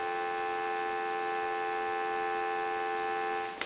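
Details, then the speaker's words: Single-slot payphone on a line analyzer after its faulty, wrong-impedance receiver capsule was replaced; a clean, steady dial tone with no crackle or dropouts, then it cuts off. "So what we're in the middle of doing here is I'm going to go ahead and make our connection to our analyzer, and you may hear it kick in and engage and seize the line. So now what I can do is I can give you some dial tone."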